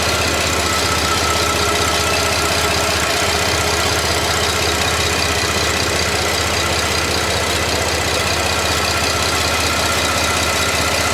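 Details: 2010 Buick LaCrosse V6 (LLT), warm idle after an oil-system chemical carbon-cleaning treatment, microphone in front of the engine: steady, even idle with a light regular valvetrain tick, no knocking or misses; no audible difference noticed, sounds healthy.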